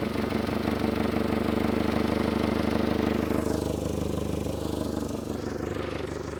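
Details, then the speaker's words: Mitsubishi Galant, formerly overheating (owner suspected head gasket), now runs and drives without overheating; idling engine runs a little rough, with a sharp rapid puffing tick on every firing pulse and slightly uneven beat: exhaust leak. "I don't know if you guys can hear it obviously it's got the uh exhaust leak and whatnot"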